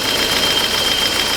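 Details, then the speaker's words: BMW E30 four-door with the M40 engine at idle: steady idle with a constant light metallic top-end clatter over a hiss; it has always rattled, cause not pinned down. "So as you can tell, guys, it doesn't sound good, but it never has. It's always sounded like a rattle"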